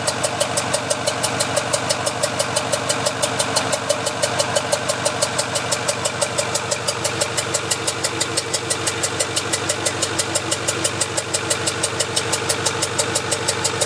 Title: Ford F450 6.4 Powerstroke popping noise